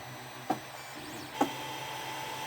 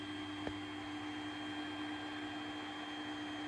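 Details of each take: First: 3D printer two hours into a five-hour print: sharp knocks about once a second over a quiet hum as extruder drive wheels try forcing filament through a nozzle clogged, owner thinks, by bed misalignment; nozzle later replaced. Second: 3D printer after a clogged nozzle was replaced and the bed re-leveled, new print starting: steady motor hum shifting into varied warbling stepper tones as the head moves, no clicks, knocking or grinding; printing normally.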